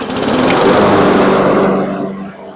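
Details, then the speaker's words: Troy-Bilt mower engine revived after sludge-filled engine and oil changes, pull-started: small single-cylinder catches and runs with steady, even buzz, now sounding like a normal lawn mower, before tapering off. "Oh, yeah. Now it sounds like a lawn mower."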